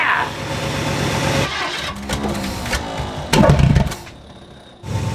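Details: 1960 Ford Starliner V8 with a new Holley 600 CFM carburetor, timing way early while the distributor is adjusted: uneven, lumpy running broken by sharp bangs and a stumble, backfiring from incorrect ignition timing.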